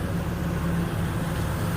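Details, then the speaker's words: 2002 Ford Explorer running after a no-crank, no-start fix (fried O2 sensor wires spliced) and a jump start: steady, deep engine drone with an even low beat and no misfire, knock or rattle; normal running. "Boom. Look at that shit. As it revs, as it's on."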